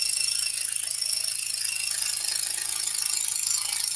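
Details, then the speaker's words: Scroll saw cutting a large piece, about 37 by 23 7/8 inches: fast, even, high-pitched blade ticking at a steady rate, and the cut runs smoothly. "That's just because we're cutting a piece that's so large. This piece is almost 3 feet by 2 feet, 37 inches by 23 7/8."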